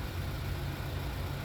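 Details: 2015 Chevrolet Onix 1.4 LTZ, repaired after chirping and weakness from a faulty camshaft and engine out of timing; after new camshaft, decarbonization and timing confirmed by oscilloscope: smooth, constant low drone at idle with no misses, rattles or chatter.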